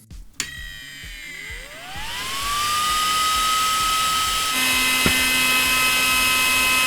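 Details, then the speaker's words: Small 40x40 mm server fan tested as replacement for a T-8280 preheating plate fan: spins up in about two seconds to a loud piercing steady whine with airy hiss, very powerful but very noisy; normal high-speed fan. "Now, just for fun, I do have a 40 by 40 millimeter fan, which is very, very extremely powerful. But coming from a server environment, it's also very noisy."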